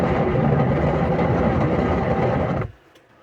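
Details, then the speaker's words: Kenwood semi-automatic washing machine loaded with water and clothes: loud, deep, continuous helicopter-like rumble while tub turns, on one or both sides, then stops; gearbox gear suspected worn, to be replaced. "ਅੱਜ ਦੀ ਇਹ video washing machine ਦੇ ਵਿੱਚੋਂ ਗੜਗੜ ਦੀ ਆਵਾਜ਼ ਆਉਣੀ ਜਿਸ ਤਰ੍ਹਾਂ helicopter ਚੱਲ ਰਿਹਾ ਹੁੰਦਾ।"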